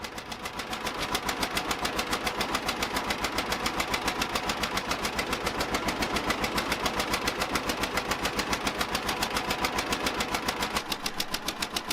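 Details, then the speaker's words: 1950 John Deere Model A two-cylinder tractor, a barn find run for the first time in about six years: slow, even popping beat of about three and a half firings a second, idling smoothly; small manifold-to-exhaust-pipe leak noted. "I love bringing one back to life nothing better than this I'll move the camera around and show you some different shots here as it's running for the first time in many years"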